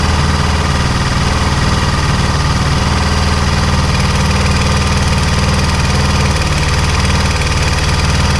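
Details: Honda XR400 single idling on a cold start at -5°C: a fast, fairly regular light knock of about four per second that nearly disappears once warm. The owner suspects a slack timing chain because the stock automatic tensioner doesn't hold tension, and plans a mechanical tensioner.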